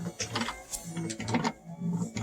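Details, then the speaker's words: 1962 Mercury Comet electric wiper motor, once thought vacuum-driven, fed 12 volts from the battery and freed with hammer taps: light whirring hum with irregular clicks and clatter as the linkage sweeps; runs freely. "i thought i would try to mess with the wiper motor i don't know if you can hear it i can see it and i can hear it"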